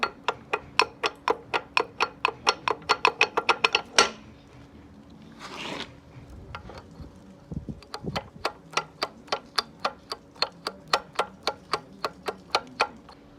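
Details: Running piston air compressor with sharp, even metallic knocks, about four a second, from a worn crankshaft; the crankshaft is replaced, and late filter changes are suspected as the cause.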